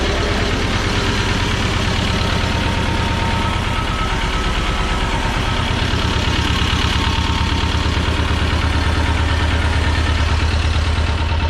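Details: 1985 USSR-built Belarus 250AS diesel tractor, sat unused about 8–10 years, running after injection-pump timing and a fuel-supply fix: steady, even diesel clatter about two beats a second with a firm low rumble; normal running.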